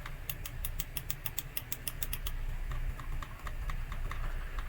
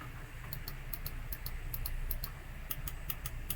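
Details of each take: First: SCUF Reflex controller, R1/R2/L1/L2 shoulder buttons: a few crisp mouse-like clicks, then dull muted presses with no click because the plastic part no longer touches; button press without click. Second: SCUF Reflex controller R1/R2/L1/L2 buttons: crisp, light mouse-type clicks in quick pairs over a quiet room; normal click from a working button, compared with a faulty button that no longer clicks.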